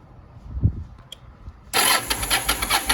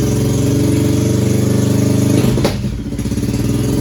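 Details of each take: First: 2001 Yamaha 1100 motorcycle, carbs recently cleaned, has spark and fuel; starter whirs with fast even pulses but engine never catches, owner suspects flooding and fouled spark plugs, about to replace plugs. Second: 2001 Yamaha 1100 motorcycle that started but wouldn't stay running, carbs cleaned and spark plugs replaced: engine catches after a brief stumble, then settles into a steady, even idle with a smooth low beat, now running properly.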